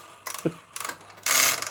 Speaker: this is a bit noisy I will warn you folks this is a bit noisy because I've put the idler back in but there's no rubber on it so it is a bit noisy but it does work